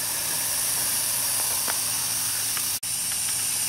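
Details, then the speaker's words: BMW E70 X5 with N55 engine, vacuum bleeder on the cooling system fails to reach the green: steady high hiss with faint bubbling pops as air is sucked in through a crack in the coolant expansion tank. "now i hear it sounds like a boiling sound so we're actually sucking and drawing in air through the rupture on the side of the expansion tank"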